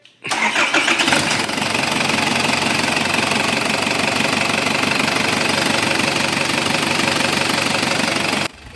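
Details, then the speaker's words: Isuzu Trooper diesel that was hard to start cranks briefly and starts on the first try, then idles with an even clatter, no stumbling; after checking the check engine relays, fuses and relays were the fix. "Napansin niyo naman na one click siyang paandarin dahil nga yun lang yung sakit niya."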